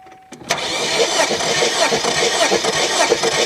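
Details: 2001 Kia Sportage during a compression test after a suspected valve problem: steady starter churn with an even pulse over about four seconds of cranking, no uneven beats; compression good.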